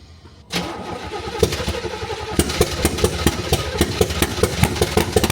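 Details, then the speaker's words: C3 Corvette after timing chain replacement, no coolant, fuel not delivered while cranking until fuel added: quick cranking catches into uneven stumbling run with irregular pulses: cranking, starts and stalls; cause unconfirmed. "you know when you turn your key and you just crank it up no fuel in that uh no fuel in that [Music] thing we got some fuel now got fuel now"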